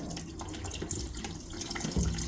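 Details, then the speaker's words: Home heating oil system during an oil filter change: the bleed bolt is opened too far on purpose, so oil sprays out under full pump pressure with a wet hiss, splatter and gurgling into a bucket; it should be opened slowly. "Yep, I'm hearing the hiss. Whoa, a little bit of a spray. That's why we put the bucket down."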